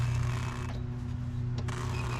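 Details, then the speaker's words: Brake check after bending the rubbing brake part back: low, steady hum as the wheel turns, with no metallic screech, chirp or scraping left. The fix cured the brake noise on the daily driver. "yeah i don't hear that metallicy screeching noise anymore so that would be our problem"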